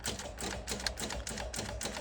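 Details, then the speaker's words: Early-1990s Oldsmobile Silhouette minivan, 172,000 miles, sat a decade or more: fast sharp clicking about five a second instead of cranking, tach reacting; suspected low battery voltage or wiring issues, not confirmed. "Weird what that does when you try to crank on it. That's very bizarre. They might have some wiring issues going on, because look at the tach. Could be low voltage also."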